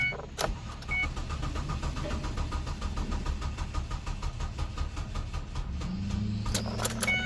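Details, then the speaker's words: 2005 Mazda Tribute, 124,897 miles, sat for an unknown time, with oil, check-engine and battery lights on: the starter turns the engine slowly with a labouring click rhythm and never catches; weak, dead battery. "that sounds good battery's definitely weak try one more time i don't know how long it's been sitting so"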